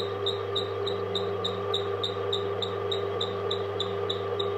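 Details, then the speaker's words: 5.5 kW 220 V AC alternator for a water turbine, belt-driven by an 1100 W motor at about 500 rpm, three phases lighting lamps at 220–222 V: even hum with a light regular belt tick, alternator quiet; normal belt drive noise. "یہ آواز بیلٹ کی آواز ہے۔"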